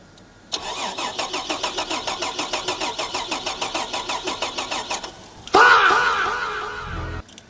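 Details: Holden VR Commodore manual with a new BCM and a new battery: the starter cranks steadily at about three and a half turns a second for several seconds but never catches; a no-start the owners blame on an aftermarket immobilizer.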